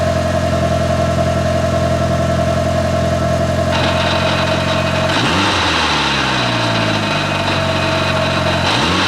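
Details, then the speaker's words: Mitsubishi Evo 5 with the old clutch, before replacement, while pulling in. A smooth idle turns to rough clattering with a wobbling, sagging pitch once the pedal goes down, the clutch chatter being fixed. "I wanted to record the noise so you can hear one of the main things that was driving me nuts about this clutch."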